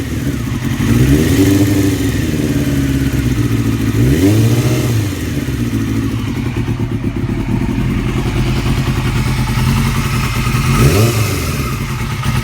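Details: 2002 Yamaha R6: light rapid ticking from the cam area keeps pace as revs rise and fall. It was present before purchase; cam tensioner already swapped for an APE manual one. Owner hopes it is not the valves; cause unconfirmed.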